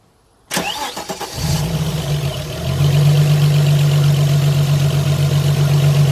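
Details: Opel V6 after the noisy idler pulley was repaired and refitted: the starter cranks and the engine settles into a steady, even idle with no squeal or bearing rumble, so the pulley now runs quietly.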